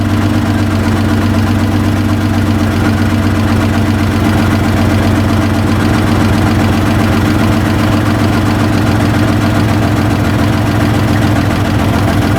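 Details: 2014 Chrysler Town & Country 3.6 V6 at idle, codes P0300/P0305, running rich with low manifold vacuum, new plugs, coils and injectors didn't help: loud low idle throbbing and stumbling unevenly; misfire, intake cam found advanced.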